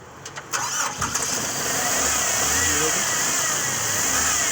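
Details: 1996 Toyota Corolla 4A-FE petrol engine after misfire diagnosis and part replacement: cranks briefly, catches, and settles into a steady, even idle with no missing beats.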